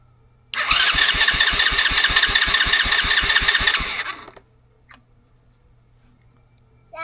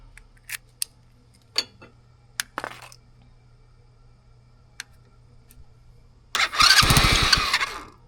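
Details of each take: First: $40 used ATV after new wiring harness install, ground wire fixed and starter fluid sprayed in; engine catches and fires in quick, even beats for about three seconds, starting and running cleanly. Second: $40 used ATV, start attempt after installing a new wiring harness and fixing a forgotten ground wire that caused smoke; starter fluid sprayed in, fast even cranking for about two seconds, nearly fires but stops without running.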